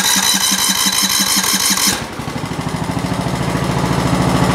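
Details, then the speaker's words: Lawn tractor with newly installed engine, first start after fitting: catches after a short burst, then settles into a steady even chug with no knocks; runs healthy. Needs a fuel shut-off valve, as it floods with fuel. "We got it all bolted in, got the wires all hooked up, everything hooked up, the gas hooked up, everything, and here, watch your ears here, we're going to start it up."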